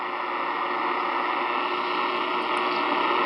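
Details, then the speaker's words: 10 m HF band receiver buried by steady harsh hiss and rough buzz from faulty noisy power poles near the station, despite the power company saying problems are fixed. "10 m lovely amount of noise to put up with it's amazing how PSC andc Edison says I don't have any more problems"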